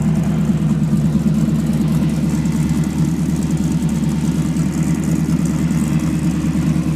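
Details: 1986 Chevrolet Camaro, 355 V8 with 6-71 blower, idling: lumpy low rumble with a faint quick puffing tick on top from an exhaust leak.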